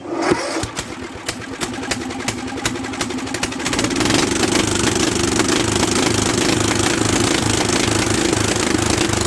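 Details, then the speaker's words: Old Bolens tractor pulled from a barn after sitting for years, new battery, ignition bypassed; steady cranking chug about three per second with a few catches that never build into running, while trying to get it to pick up fuel. Cranks but won't start. "off go ahead and give her another one see if we can get her to pick up fuel"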